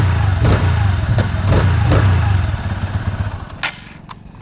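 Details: TVS Apache RTR 160 2V at 15,000 km and 1.5 years old, hot after 70 km of continuous riding: a light "khach-khach" tick about three per second over the single-cylinder idle. The owner was told it is engine oil at high temperature, not confirmed.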